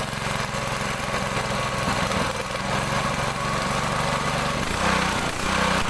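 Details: Honda GX200 small single-cylinder engine, running after a no-start problem: brisk, even chatter at constant speed with no misses, running steadily.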